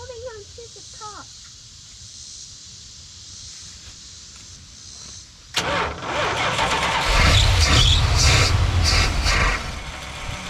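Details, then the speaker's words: Early-1980s (81–82) Dodge 1-ton truck V8, sat about two years, fuel being poured down the intake: quiet, then it suddenly catches and roars unevenly on the added fuel; cranking, fires only on starting fluid, out of fuel. "we're gonna keep throwing a little bit of fuel down his throat and see if see if it if it works"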